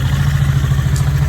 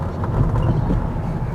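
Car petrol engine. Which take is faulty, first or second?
first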